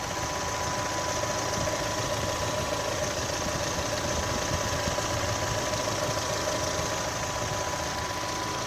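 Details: 2018 Chevrolet Onix LT 1.0, bought under 3 months ago, idling with light irregular ticking over a steady hum; extra mechanical noise, owner links it to GM's quiet intake valve and lock replacement, unconfirmed.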